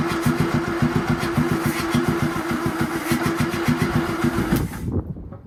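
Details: Land Rover Series 2A with rebuilt engine, sketchy temporary wiring loom and gravity-fed fuel, carb throttle freed after seizing: even starter churning, about three and a half beats a second for over four seconds, never catches; cranks but won't start.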